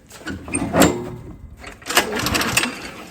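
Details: Lawn mower stored with ethanol fuel, after carburetor cleaning, primed and choke on: two sharp recoil pulls spin the engine briefly but it never fires; spark confirmed, owner suspects no fuel reaching carburetor via purge bulb line.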